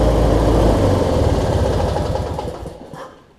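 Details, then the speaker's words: Briggs & Stratton opposed twin engine on a Craftsman rider, after replacing the 3-screw fuel pump and adding a missing fuel filter; it had been hard to start and not always getting gas to the carb. It now idles as an even low putter, about four pulses a second, with no misses. "Let's see if it starts back up for us. It started right back up on idle, so I mean..."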